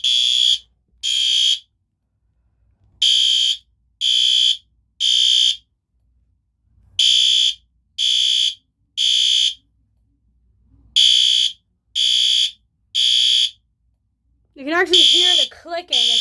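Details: System Sensor PC2W horn/strobe on its loud test, sounding its temporal-three pattern: loud, high-pitched blasts in groups of three, each group followed by a pause; normal evacuation signal.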